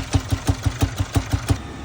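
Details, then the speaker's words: 2017 Jaguar XF four-cylinder diesel at idle; heavy regular knock about six per second over rough idle, heavy blow-by, misfire codes on all four cylinders and camshaft position codes; internal engine problem suspected, possibly valve or timing. "So, we definitely have an internal engine problem."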